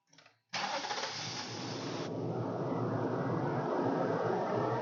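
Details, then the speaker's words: 2014 Nissan Armada with intermittent crank-no-start: after starting fluid sprayed below the MAF, engine catches right after a short crank and runs a steady, slightly uneven idle; owner suspects fuel system, possibly in-tank pump, unconfirmed. "um so I sprayed the starting fluid and the vehicle started right up now that does not indicate that the problem is solved"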